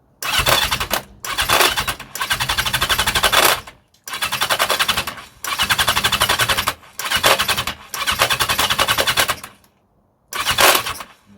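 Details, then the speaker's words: 1982 Yamaha XJ750 with filters on, cranking on starting fluid: repeated bursts with a harsh, rapid metallic rattle from the starter clutch, and the engine never catches, not even a cough. "hear that rattle that's the um starter clutch I can't even get a cough with s fluid"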